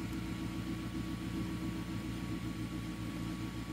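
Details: 2011 Mazda 3 2.0L at idle after clearing historic U0101 and evap codes, testing a DIY-repaired TCM, no check engine, AT or traction control lights: steady, even smooth low drone with no knocks, misses or surging.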